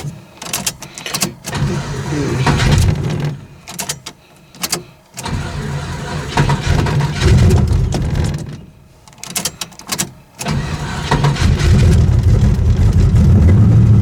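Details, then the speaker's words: Tunnel-rammed V8 in the '74, cold start at about 38-39°F with the fuel pump off after one pat of the throttle; short cranking bursts, catches into a deep lumpy rumble; normal cold start. "It's about 39, 38 degrees. Well, there you go. That's a cold start. That is the process with this tunnel ram."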